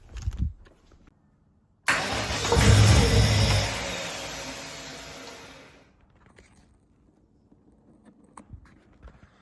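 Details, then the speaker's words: RB30 turbo engine swapped into a VN Commodore, freshly wired, no oil pressure yet after sitting upside down without oil: a short crank catches and roars briefly on starting fluid, then dies; won't keep running. Cause unconfirmed. Cranking without starting. "I feel like we're close, but that was with Start Your Bastard in there. I feel like we're getting very close here."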